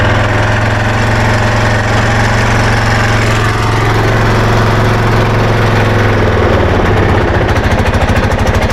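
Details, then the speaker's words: Arctic Cat Prowler 500 side-by-side, warm, idling poorly with sticking throttle: loud chuffing idle with sharp rattle and tick each pulse; loose exhaust with super loud leak. "okay so anyway if you can hear it if you can tell there's an exhaust leak on this thing and it's super loud the exhaust rattles it's real loose"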